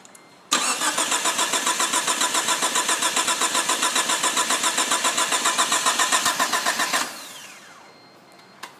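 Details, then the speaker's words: 1998 Chevy Tracker 1.6L 16-valve automatic after mild rebuild (timing belt, head gasket, seals, water pump) cranks steadily about four turns a second for six seconds without firing, even on starting fluid; spark, fuel pump and timing checked, cause unknown. "Chevy Tracker 1.6 liter 16-valve volt start that's what it sounds like after rebuild"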